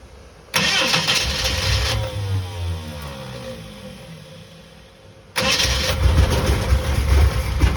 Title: Bedford CF won't start